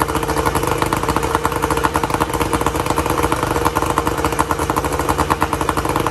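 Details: 1994 Tohatsu M40C two-stroke outboard after water pump replacement, unseizing the seized motor and freeing the locked lower unit, run with water on: steady rapid crackle at an even idle, no knocks or misfires; running smoothly.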